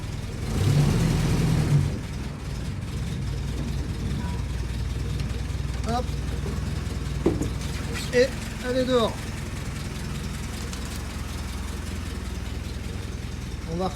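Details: Willys Jeep petrol engine restarted after nearly 15 years unused: even, low, unhurried idle with a steady beat, little outside noise; running smoothly.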